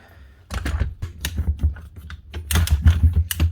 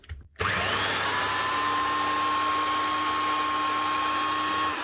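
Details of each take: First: Virutex MC16L door lock morticer, reported faulty ratchet and struggling after 10–20 minutes: uneven ratchet clicks in irregular bursts as the handle is cranked, motor feed stepping down roughly each rotation; rough, sticking feed. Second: Virutex MC16L door lock morticer after replacing bearings and a bronze bush: motor spins up to a clean steady high whine with no rumble or rattle, then coasts down smoothly; running properly again.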